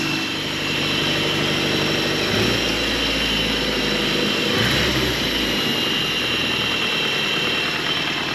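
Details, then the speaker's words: 41-year-old 1983 Toyota Pickup SR5, parked about a year, at idle as temperature comes up. A loose, rapid, slightly uneven rattle about three or four a second rides on top; worn timing chain guide. "right down and now you can really he that freaking chain guide I'll fix it someday I promise"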